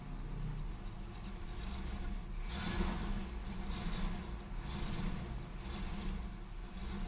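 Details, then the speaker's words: Oldsmobile 403 V8 in a G-body that won't idle and sounds like it's running on 4 cylinders, though it revs okay above 1,000 rpm; carbon canister/tank vent left disconnected. Sounds somewhat better but still really rough, with a lumpy, stumbling rumble; cause not yet found. "It already sounds better, sounds a little normal. Still not completely convinced. It's really rough."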